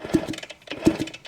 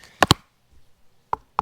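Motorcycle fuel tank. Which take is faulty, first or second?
second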